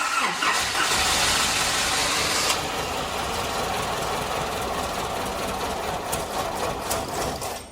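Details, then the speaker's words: Small Nissan truck parked about 8 years, after new fuel pump and fuel lines: catches and runs uneven and rattly with loose ticking, like a cam, bad gas or out of time; head found not flat. "little dogger rattles like it's got a cam in it or bad gas it does the same time or that add gas or out of time and you'll get that"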